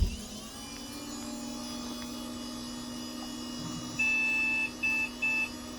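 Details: Hydro Thunder arcade machine at power-on, over a steady fan hum, gives the same POST beep pattern even after the CMOS battery was replaced with a new 2032; the manual reads it as a video graphics card fault. Owner suspects the BIOS.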